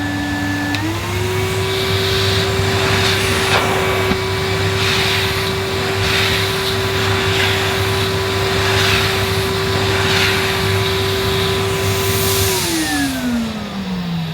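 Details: Factory-sealed 2006 Numatic Henry 1200 W vacuum on high power, nozzle on short-pile carpet: motor spins up to a steady mid-pitched whine with soft swishes as the head is pushed, then winds down; normal healthy running.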